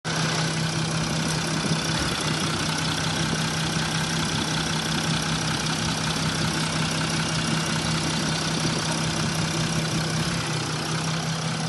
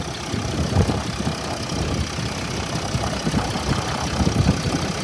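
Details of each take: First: Mercedes S-Class W222 with OM642 diesel idling unevenly with a steady knock about twice a second, louder when warm; a connector had popped off an injector (third or second), making it fire intermittently. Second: Mercedes S-Class W222 with OM642 diesel, after refitting a disconnected injector connector and replacing oil and intake air temperature sensor: steady idle with usual light clatter and even speed; seems normal, though a fault light remains on.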